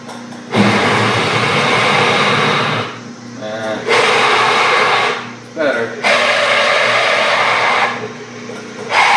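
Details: Small lathe drilling a go-kart rear-wheel part with a smaller 5/8 inch bit, after the 3/4 inch bit overloaded it: bursts of steady, even cutting hiss with short pauses between passes; drilling is smooth and normal.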